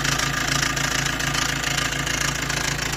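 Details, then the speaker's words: Maruti Dezire, recorded near the engine right after start: loud, fast metallic rattle chattering steadily over the idle. The noisy timing chain set is due for replacement. "तो वहां पे आप देखना इसकी कितनी ज्यादा noise है की कितनी ज्यादा आवाज ए रही है आप देख सकते हो"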